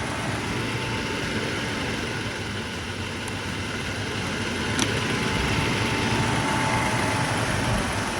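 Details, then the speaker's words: 1983 Mercedes-Benz W126 380SEC Euro grey-market, idling in park with the OVP relay pulled: the idle surges up and down unevenly, dips as if to drop, then settles at that rpm. Intermittent stalling at stops and in park, cause not yet found. "It acted like it was going to idle down, but it actually settled at that RPM right there."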